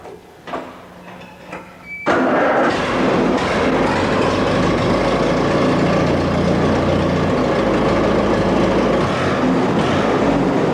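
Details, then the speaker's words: Allis-Chalmers WD45 tractor engine, first start after full rebuild with distributor timing set by ear: starter churns briefly, catches in about two seconds and settles into a smooth even idle with quiet tappets; normal idle. "the it starts up good and it runs good sounds good the taets are quiet and uh all of it sounds pretty good right now"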